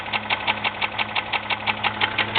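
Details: 2001 Jeep Grand Cherokee 4.0 idling with sharp, evenly spaced metallic knocks about six per second; noise began suddenly despite regular oil changes; owner unsure whether piston slap or rod knock; engine knock at idle.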